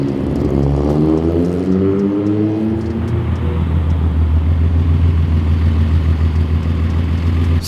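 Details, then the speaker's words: Datsun 280Z petrol six drops from higher revs and settles into a low idle that sounds mostly normal but still wavers slightly too much. "As you can hear, it sounds kind of okay. It sounds like a normal idle, but it's still wavering a little too much, I think."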